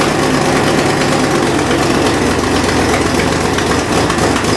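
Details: Fox Body V8 idling cold after new valve seals: rough puffing tick with firing from exhaust leak at passenger-side header/X-pipe joint; fixed by swapping to an H-pipe.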